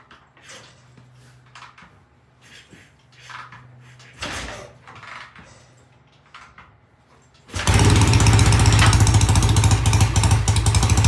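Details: BSA A65 twin with new Premier carburettors, after the pilot jets were cleaned. On a cold start after tickling the carbs it fires easily and settles into a steady, even idle on both cylinders. Normal idle.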